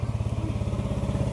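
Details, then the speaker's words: Yamaha NMAX 155 V1 scooter idling fast and steady after throttle body cleaning, error 37 from the ISC; new carbon brush fixed hard starting, ISC calibration needed to lower the idle. "So pansin niyo mga bossing yung menor niya is napakataas. So aayusin natin 'to."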